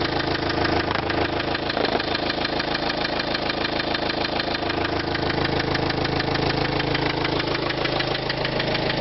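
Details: 2005 Renault Trafic 1.9 dCi diesel at idle: loud, fast, regular knocking about three beats a second, steady throughout; engine knock, cause unknown.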